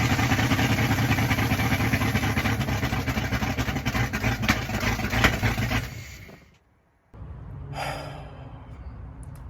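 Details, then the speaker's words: 5.2L Magnum V8 truck on open headers before exhaust install runs loud with ragged stumbling beats, then shuts off; misfire because running without manifolds cooked most ignition wires, which need replacing. "very idiotic decision of me to leave the manifolds off whenever I did that because not only did that create a misfire, but it also cooked my cables."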